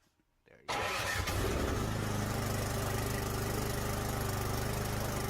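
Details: Craftsman 24-inch snowblower that wouldn't start after summer storage: after carburetor cleaner was applied with the spark plug removed and the power button pressed, a short crank fires it into a steady, even putter with no misses. It starts and runs normally.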